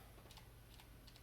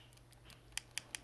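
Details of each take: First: Xbox One Halo 5 controller after d-pad repair (bending the metal piece under the pad): crisp, separate clicks over quiet room hum; the bottom d-pad click that was missing before is back, and all buttons work. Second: Xbox One Halo 5 controller d-pad: the down button gives several soft, dull ticks without snap, then three sharp crisp clicks from a good button for comparison. The down direction is weak and not clicky before teardown; a worn or bent contact is suspected.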